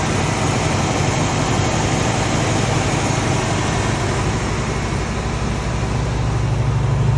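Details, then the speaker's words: 345 four-barrel V8 idling cold after a cold start, having sat about a week and been given three pumps: deep, steady burble firing smooth and even with no ticks or knocks. The engine sounds healthy. "And here's a cold start video. It's been sitting for about a week. Just give it about 3 pumps. As you can hear, the motor sounds great."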